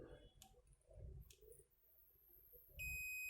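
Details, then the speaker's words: Qantech 12V 2A adapter (model SSA6-12V02A24) with a no-power fault: after a diode is removed, the multimeter continuity test gives a continuous high-pitched beep, so the diode is shorted, and the second diode checked is also shorted. "ये short हो गया है। आप देख सकते हो आवाज़ आ रही है। और ये अभी इसे चेक करेंगे तो ये भी शॉर्ट है।"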